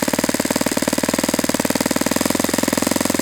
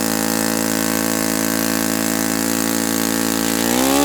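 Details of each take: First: Saito FA-91S model four-stroke glow engine on a test stand during needle tuning, target idle around 2300 rpm: rapid, even firing with a brief speed lift on the pinch test that settles back; mixture responds properly, good transition, healthy idle possibly slightly low. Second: Saito FA-91S model four-stroke glow engine on test stand, not run in years, cool 60°F day, with a replacement plug that looks dim: steady high buzz then drops to idle; peak RPM seems lower and idle slightly different, plug suspected.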